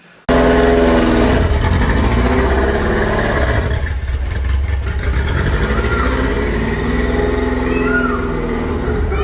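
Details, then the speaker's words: Ferrari F40 once abandoned in the Iraq desert, missing many parts: engine holds a loud, lumpy drone at moderate revs with an uneven, wavering note, running rough, cause not obvious. "well the car was missing a lot of bits it looked a lot better than it did when it was covered in sand but it didn't sound too good at all have a listen to this"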